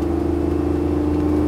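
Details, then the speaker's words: Land Rover Defender 90 soft-top with Chevy L83 V8 swap, modern ECU and Dakota Digital gauges, idle needing raising from near 500 rpm to match torque converter: deep, even V8 burble, steady, no misses; healthy exhaust note. "So, but other than that, she's spot on. And as you can hear, that soundtrack is just addictive."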